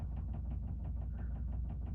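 A quick, steady knocking, about six per second, over a low drum rumble. The dryer is knocking, but the cause is unclear.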